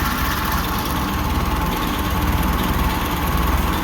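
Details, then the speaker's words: Ferguson TO-20 tractor after valve work on rotator caps to cure tapping and screeching: even low chug at idle, no valve tick from top end, pushrods turning properly; fan belt still somewhat noisy. "no Ticky Ticky so you can button this back up put the fuel tank back on and uh she's ready to go for another three years"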